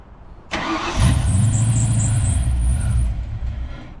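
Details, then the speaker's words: 1991 Ford Mustang Fox body barn find after new fuel pump install and more gas added, second attempt: brief crank, clean catch, steady even idle with no misfires or stumbling; sounds healthy, no smoke. "Sounds good. Like sounds healthy. No smoking or nothing."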